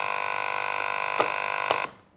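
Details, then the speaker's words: Aquarium air pump running: harsh steady buzz with a hard rattling edge as the vibrating metal armature strikes the plastic housing inside. "ซึ่งเสียงที่เกิดขึ้นนั่นก็คือเสียงของเหล็กตัวนี้นะคะ"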